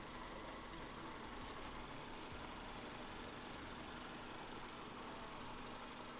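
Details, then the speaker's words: EK Honda Civic hatch idling warm after about 10 minutes, steady and even with no rise and fall. The surging idle was solved via the IACV, though a slight roughness remains pending plugs, wires and filters. "well we've let the car idle for about 10 minutes now and as you can hear it is idling exactly where it needs to be"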